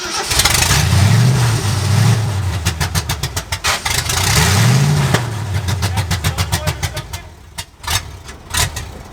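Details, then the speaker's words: 1965 Ford F250 Camper Special with a rebuilt 352 V8: runs smoothly while held in the crank position, then stumbles into an uneven, lumpy run with dropouts once the key is released. The suspected cause is the ignition switch or the resistor wire wiring. "no the problem is either in the ignition switch itself okay or the wiring in between right there's a resistor wire so we're gonna have to go through the circuitry of this thing and see what's going on that's why it runs the way it does"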